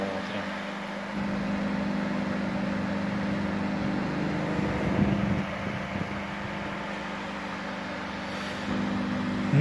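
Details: Panasonic microwave that powered on but didn't heat, after the magnetron was refitted, heating a glass of cold water: steady, even low hum with soft fan rush, no crackle or buzzing; runs and heats normally.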